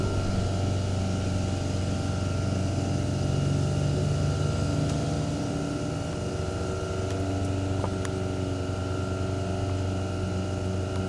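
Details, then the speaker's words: Baldor 1/3 HP single-phase induction motor (115/230 V, 1725 rpm, 48Z frame) running unloaded. It gives an even low hum with a faint steady whir and no knocking, rubbing or grinding, followed by spin-down; the bearings sound good. "yeah so let's show you the spin down pretty nice motor i think good bearings too"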